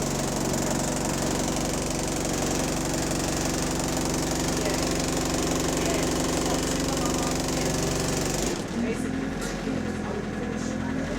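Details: GAL SE101 bus on route 469, diesel engine running with a deep, uneven rod knock of about four beats a second under its clatter.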